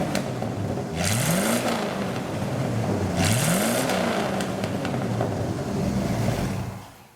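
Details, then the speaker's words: 1956 Chevy 3100 pickup with a Camaro 305 V8 and Turbo 350 transmission: steady V8 idle with two clean throttle blips, revs rising and falling smoothly with no knocks or misses. Normal start and rev. "We're going to start this Chevy V8 engine up for you so you can hear it run. We're going to rev the engine for you this time."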